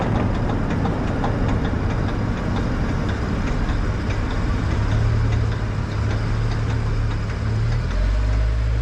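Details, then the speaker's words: 1997 Dodge 3500 on a test drive: low rumble with regular clicking that tracks wheel speed. The left front hub bearing assembly was suspected and replaced, but the noise was later concluded to most likely be the front axle U-joints. "all right we got a 1997 Dodge 3500 and that noise you heard is the wheel bearing assembly failing"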